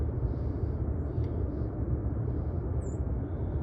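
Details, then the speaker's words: xAI power plant, Southaven MS, 17–18 large "mobile" turbines, heard from a backyard about 3,000 ft away on Dec 31 5:30pm: constant low distant rumbling drone without whine; turbines running normally. "It's just the other noises, these very large, quote, mobile, end quote, turbines that they're using there. They're very large pieces of equipment."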